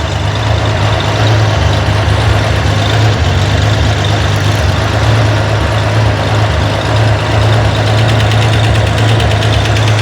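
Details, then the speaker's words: Corvair engine on a run stand at idle, hot valve adjustment: fast light ticking from one rocker set less than a half turn, fading and returning as the hydraulic lifter fills and bleeds down; not yet at zero lash. "That one was set less than a half turn. But you hear how it got quiet? So we're still not quite to 0 lash yet."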